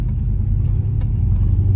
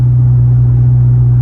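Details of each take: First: Straight-piped V8 Chrysler 300 with X-pipe, after fitting muffler/resonators to cut cabin drone, driving slowly: deep even low exhaust rumble, no ear-ringing drone on top; normal exhaust note. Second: Straight-piped V8 Chrysler 300 with newly fitted straight-through muffler/resonators, heard in cabin at highway cruise: deep constant low hum, some drone still present as expected; exhaust drone.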